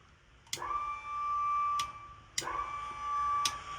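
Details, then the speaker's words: RV leveling system in Jack auto level mode: the pump clicks about every second and a half with a brief thin hum but never runs; the controller isn't passing 12 volts through the blue trigger wire to the solenoid. "can hear the pump trying to work so there's a problem with this controller because it's not allowing the 12 volts through that trigger wire to send power down to that"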